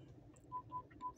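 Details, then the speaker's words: Toyota Innova Zenix parking sensor/radar sounding while the car stands still in park, not reversing, a steady run of short high beeps about four a second over a quiet idling cabin; it can be switched off under settings, accessories, radar. "Jadi tidak hanya waktu parkir ya pada saat jalan lurus juga apalagi diam gini ya berisik banget ya kita lagi misalkan Lagi diam ya tidak parkir itu menunggu itu berisik banget ya"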